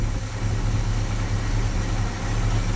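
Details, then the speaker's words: 1966 Mustang 289 V8 with a remanufactured 2-barrel carburetor, after a fuel pump replacement, unstarted for 3–4 months, idling with no pedal: a deep, even burble with no misses or knocks. It is a normal, healthy idle. "Now that sounds good right there. I don't care who you are. That is what a good sounding motor should sound like. Just a purring, because that thing ain't been started in probably 3-4 months easy."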